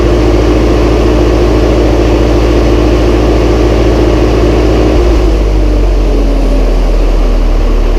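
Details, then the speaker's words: Massey Ferguson 135 tractor first start after oil change, filter and valve adjustment, high-low in neutral: steady, even low idle with smooth rhythm, no knocks or misses; starts straight up, old engine running healthy. "Start straight up. Very good."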